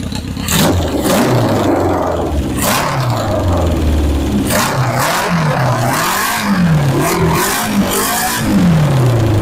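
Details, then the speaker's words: 1977 Honda CB750 chopper: repeated sharp throttle blips rising and dropping cleanly back to a steady idle with no stumbling or popping; runs great. "this is a great running backe just looks good sounds good runs good rides even better"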